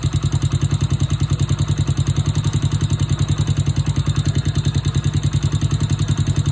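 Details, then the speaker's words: Honda Wave/C70-family single-cylinder motorcycle after new cylinder, piston, rings, cam chain, tensioner and oil pump gear; steady idle with quick light valve tick on every beat, loose valve clearance needing adjustment. "โอเคเสียงที่ได้ยินแต๊กๆๆๆๆเป็นเสียงของวาล์วนะครับเดี๋ยวขออนุญาตตั้งวาวสัก"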